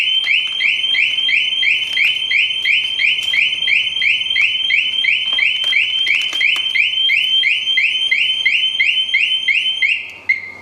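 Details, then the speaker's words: 2007 Sportster 1200 Custom on a lift during battery removal. Its security alarm gives a loud, shrill warbling siren pulsing about three times a second, then cut off, set off while trying to pull the 30 amp maxi fuse. "Good gracious. What kind of security thing is on this? It sounded like I was robbing a bank."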